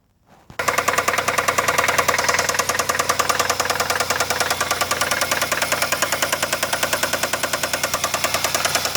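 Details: Running engine with sharp, even knocking about 200 per minute, felt banging through the dog bones; deep bottom-end knock, owner suspects a bad rod bearing, unconfirmed.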